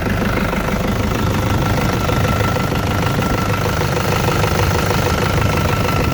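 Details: Engine cold start after sitting overnight: loud, rough cold idle with a light, rapid, uneven ticking underneath; valve tapping suspected but not confirmed.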